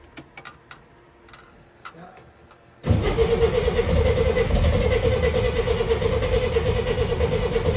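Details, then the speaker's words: 1964 Chevrolet Corvair, first start, spark fixed by cleaning distributor points: starter churns near three beats a second and catches weakly without running clean. Firing on one side only; right-hand carburetor throttle butterfly seized closed. "so that fixed the spark issue and it almost wanted to fire there but it only seemed like it wanted to fire on the one side we realized the butterfly on the right hand car was seized close"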